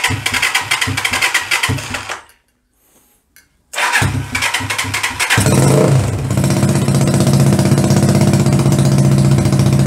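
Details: 125cc CCW Sinnis Heist chopper single cranks, catches and runs on steady throttle but won't idle by itself, pointing to carb setup; owner then adjusts the carburettor float height with a screwdriver.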